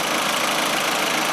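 Smooth, even idle with a steady note and no hunting, knocks or misses; this engine is idling properly.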